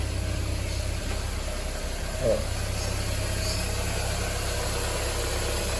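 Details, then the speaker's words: Ford Fiesta idling with the air conditioning off: an even, steady idle rumble with no ticking, knocking or squeal. It runs smoothly; the noise only changes noticeably once the A/C is switched on. "Beleza vou mostrar vocês aqui ó o barulho do carro funcionando com ar desligado"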